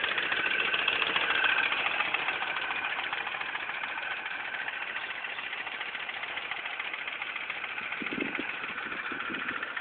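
Light, even ticking about three to four per second sits over a steady idle; a clear top-end tick, source not pinned down.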